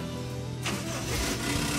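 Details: Toyota Kijang Kapsul petrol after starter motor repair: short crank then engine catches straight away and settles into a steady run; starter now working properly, normal engine start.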